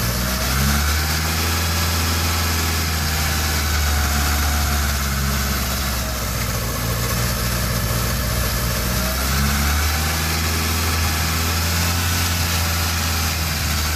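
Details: 1987 Honda CRX, carbureted, with a rebuilt head after a bent valve from a broken timing belt. It idles unevenly, the drone swelling and sagging as it runs very lean and won't hold idle; a vacuum leak is being chased at the carburetor base plate.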